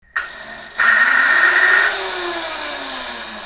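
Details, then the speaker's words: Kuberg Freerider electric dirt bike bought with known issues: high electric whine jumps in, holds steady, then winds down with falling tone; motor sounds terrible/rough, cause unconfirmed. "oh my God that sounds terrible"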